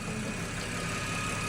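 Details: 2014 Ford FG XR6 petrol engine idling evenly with a steady low hum and faint high whine after alternator replacement, output now about 14.5 V; nothing irregular.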